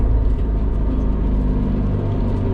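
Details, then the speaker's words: 500 hp Subaru STI after a cylinder-2 misfire was fixed (leak-down and compression passed, coils reinstalled), pulling to 16 psi boost: a deep, even engine pull with no stumbles or popping, healthy with no misfire. "Okay, we're gonna do a couple minor pulls and then we'll do a big boy pull."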